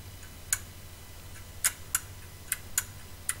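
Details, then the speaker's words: Hoover/Candy tumble dryer circuit-board relay, desoldered and energized on a 12 V bench supply; sharp crisp single clicks as it opens and shuts, no buzz or chatter, a good relay. "is the relay opening and shutting"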